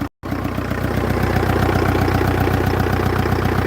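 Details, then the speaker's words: Kia Sedona diesel, first run after cam belt change with intercooler off, some smoke on start: even clatter at about four beats a second, steady with no stumbling; healthy idle. "And it actually sounds alright."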